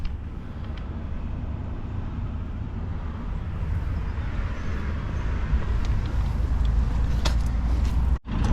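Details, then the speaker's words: Campervan diesel heater after sitting four months, fuel line re-primed with air still between filter and pump: low rumbling run with uneven pulsing rhythm slowly building, error 10 shown, slight heat; air in fuel line. "See, pump is running, still a lot of air in the tube. So it's giving me error 10 again, but actually I can feel it's heating up a little bit, the air, and I can still see there's a lot of air in between the tubes."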